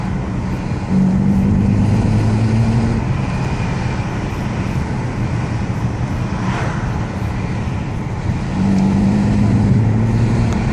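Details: 2005 BMW E90 325i, N52B25 six-cylinder petrol: uneven, stumbling low rumble as revs rise between 1500 and 2500 rpm; misfire, failing spark plugs suspected.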